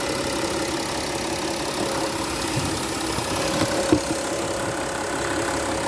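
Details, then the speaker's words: 2015 Porsche Cayenne Diesel idling: even idle with fine rapid injector ticking over faint high-pressure fuel pump whine; normal diesel injector noise, nothing wrong. "You can hear the injectors ticking. It's a different sound for those who aren't used to the uh you know the high pressure fuel pumps and whatnot."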